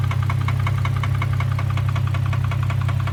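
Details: 2003 Infiniti G35 sedan at idle: loud sharp regular knock about two to three per second over a steady rumble, suggesting deep internal knock; cause unknown, owner considering an engine swap; engine knocking.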